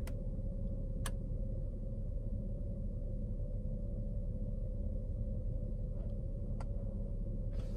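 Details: Mercedes W203 C-Class (C240/C230/C320) with a few sharp ticks coming and going at irregular gaps over a low engine hum; owner suspects the evap pump, more active on cold start; spark plugs due.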